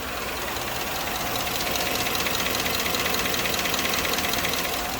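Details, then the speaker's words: Chevrolet V8 with AFM deleted from the computer, idling with a light, fairly regular lifter-type tick about two to three a second after new cheap lifters were fitted; it runs strong with no skips, and the tick is heard better through the wheel well. "It has a little lifter ticky type sound. Let's see if you can hear this."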